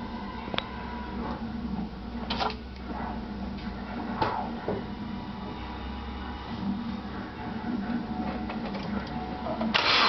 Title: 2.5rs Engine rattle sound